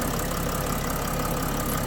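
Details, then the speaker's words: 2014 Leisure Travel Vans Unity, Mercedes Sprinter diesel, nearly 70,000 miles, after EGR valve cleaning for sluggishness and low power; previously made an uneven sound: now steady even diesel idle, no stumble or hunting; normal idle. "oh yeah it's definitely running better it was making a a funny a funny uh uneven sound um so this is definitely running much better"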